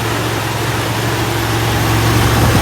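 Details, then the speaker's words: 1964 Buick Electra V8 after intake manifold core plug replacement and silicone cleanup: smooth quiet idle, steady low rumble, no ticking or puffing; much quieter with exhaust leak at bottom of intake manifold fixed. "and running so quiet [Music] so much quieter when it doesn't have exhaust leaking out of the bottom of the intake manifold"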